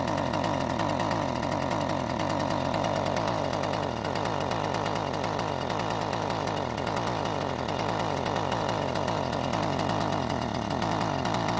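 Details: Husqvarna string trimmer with a new aftermarket carburetor, both mixture screws turned another quarter turn counterclockwise and the fuel line clamped with a wire band: two-stroke buzz keeps rising and sagging instead of holding revs. Rough, unstable running; tuning not helping.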